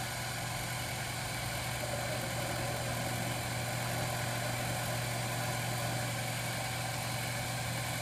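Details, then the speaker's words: Lathe cutting a bass guitar knob at about 600 rpm; steady even motor hum with a smooth cutting hiss, no chatter or squeal; normal cutting. "that is cutting just swell dude about 600 rpms that's it"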